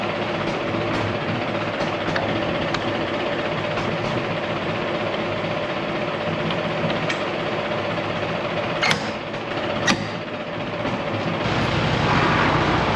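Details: 1959 Allis-Chalmers D17 tractor after tune-up and new exhaust, carrying a plow during a hydraulics test: even steady engine beat staying smooth under the implement; engine sounds healthy.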